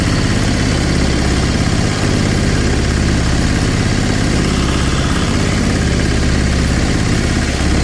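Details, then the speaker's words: Sailboat diesel inboard conversion, version 3.0 with a new, longer belt drive: steady, even low rumble with no knocks or uneven beats. Much quieter with less vibration than before; running normally. "Uh it's much quieter, much less vibration free with the new belt drive."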